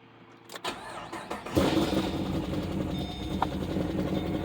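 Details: 2012 Chevy Caprice PPV 6.0 LS V8, cold start, a month after DOD delete, stage 2 cam, new lifters and rockers, no misfire codes; light quick tick over uneven idle, driver's side, louder with RPM.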